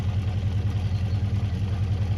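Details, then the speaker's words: Honda CB400 Four after tappets reset, warm: smooth, even low exhaust burble at idle, no internal clatter or ticking; healthy, only the exhaust note heard. "Just the exhaust note, not the flipping internals of the engine."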